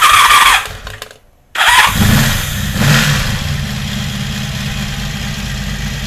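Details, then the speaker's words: 1982 Honda Magna V45 after carb reinstall, valve clearance check and sync, restarted hot: starter whirs briefly, pause, short crank, then catches to steady idle; owner says this motor heat-soaks badly, heating the carbs after sitting warm. "The reason why it cranks a little bit in between startups here is this motor has a real high propensity for heat soaking. So you run it up to operating temperature and let it sit for a while."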